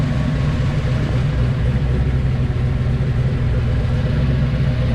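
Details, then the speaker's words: 1986 Fox Body Mustang with a 408 stroker V8, Holley EFI and MSD coil, after repairing a locked-up oil pump; initial startup, not yet tuned. A deep, steady idle rumble with an even pulse and no knocks; wind and plane noise audible. "it's kind of loud so uh we even got a plane flying over it's a little bit windy you might be hearing some wind noise i'm gonna do a little walk around let you guys listen to it it sounds good"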